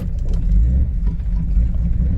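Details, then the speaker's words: Jaguar XJ6 daily driver that quit after starting on a snowy morning with no fuel pump sound; owner thinks a leash disturbed something; now fuel pump primes, engine starts, not fully cold, steady even idle; normal start. "Okay, I hear the fuel pump and they've stopped. Let's see if this thing wants to fire into life now."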